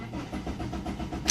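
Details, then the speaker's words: Eagle Talon that randomly shut down and now cranks but won't start; quick even cranking pulses that never catch; no check engine light with the key on; owner suspects a bad ECU, not confirmed. "it won't go see that's the issue"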